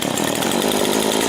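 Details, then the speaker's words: Rebuilt STIHL FS 70 R string trimmer idling after a carburetor adjustment: a buzzy two-stroke idle with a tinny, bell-like ring over it, and the head still turns slowly; the owner suspects something loose, maybe the clutch. "Now I'm no mechanic. I'm no mechanic, but that ringing, that bell sounding up in there sounds like something that's loose. Maybe it's the clutch."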